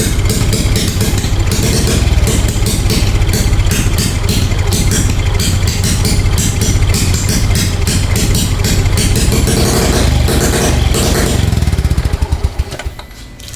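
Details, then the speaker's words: 2017 Smash 115 motorcycle after replacing the spark plug cap: rough, uneven running with fast irregular popping cracks and no settled idle, rapid backfire; mechanic suspects the CDI rather than the connector, and will check pipes for leaks; not confirmed. "Tataka lang ako non mga boss para siya naka-raapid backfire no."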